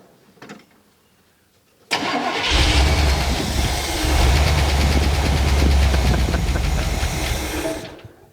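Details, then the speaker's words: 1979 Chevy Camaro small-block V8, barn find sat over a decade, first start on fuel poured in the float bowl; cranks, catches and idles lumpy. "oh and we're only running on seven spark plugs that's what happens when you get excited you start to forget things so it ran that good on seven spark plugs in a vacuum leak"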